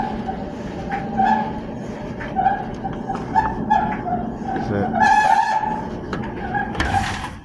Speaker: So, that's the noise it's making. So, when the drum drum is turning, so it's the belt is uh is having uh some uh issue with the on the drum.